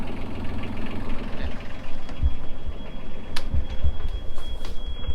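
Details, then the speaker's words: Boat diesel idling in the engine compartment, low uneven rumble with a thin steady high-pitched alarm tone above it; bilge/leak alarm still sounding the morning after; sensor being removed to check for water, cause unknown. "do you want to start the engine find out if it's even going off this morning yeah it's still going off"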